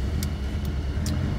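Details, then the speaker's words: 1975 Toyota Corolla KE35 coupe idling: deep, lumpy idle with an uneven wobbling beat, not firing evenly; rough running, cause unconfirmed; battery charging fine. "so I guess I don't know it's rough as hell"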